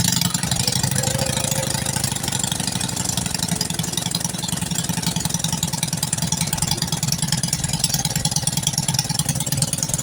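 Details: Honda Karisma / Supra X 125 motorcycle that stalled after about 1 km of riding, now fitted with a used replacement CDI in place of the faulty original. It settles into a steady, even, quick idle with no misses.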